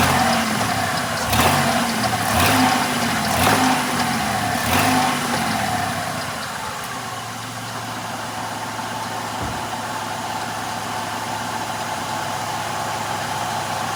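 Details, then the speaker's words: 1996 Grand Caravan, recorded between engine and transmission while revving up, transmission fluid leak visible, heavy clunks about once a second fading to a steady hum from the transaxle; owner believes a differential pin, unconfirmed. "Oh, my God. If that isn't a differential pin, I don't know what is."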